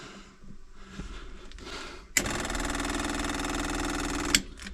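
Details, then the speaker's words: Sailboat diesel that stalled at sea, clogged secondary fuel filter suspected: the electric priming pump gives a fast, light, even buzz for about two seconds while pumping air, not fuel; the owner suspects a clog at the tank pickup. "now i'm back to suspecting either there's a clog at the tank pickup this thing sounds like it's just circling air"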